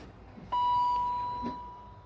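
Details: 2003 Range Rover HSE, one owner, being revived. The key is turned and one steady mid-pitched beep sounds for about a second, with no cranking or engine sound after it: a warning chime with a no-start, cause unknown.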